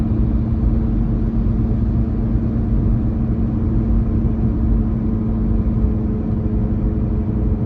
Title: Droning Noise